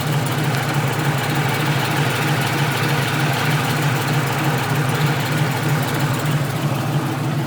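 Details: Ford Mustang idling, microphone outside: a steady low rumble with a faint puffing beat from an exhaust leak.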